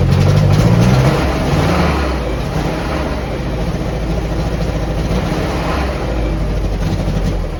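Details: 1949 Jeep CJ-3A four-cylinder, ran fine when parked last fall; hard start despite new coil, points, rotor, cap, clean plugs, fresh fuel, two-year-old carb: uneven lumpy beat, wavering low note; rough running, owner suspects points or stuck valve.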